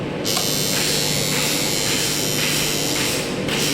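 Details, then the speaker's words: DOL motor starter contactor: a loud, steady electrical buzz with a harsh, uneven rasp that stops when the contactor is pressed in. Suspected cause is the magnet not pulling in properly, possibly from dirt in the magnet, so it doesn't make full contact. "ठीक है दोस्तों, ये हमारा आवाज़ आने के कारण क्या है, इसमें मैग्नेट नहीं बन रही है, ये चीज़ है मैग्नेट नहीं बन रही है, यहाँ पर दिखाई दे रहा हो।"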